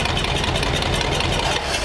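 Flathead V8 idling with an uneven, lumpy beat and irregular low thumps; rough idle, possibly timing, cause unconfirmed.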